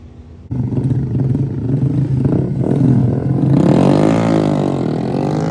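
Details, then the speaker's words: Drag car with tunable fuel map, lean and rich spots at part throttle: engine catches, runs rough, then surges and hunts unevenly at idle; erratic running caused by the unplugged engine coolant temperature sensor. "This is why it was acting crazy. Engine coolant temp. The switch coming hooked."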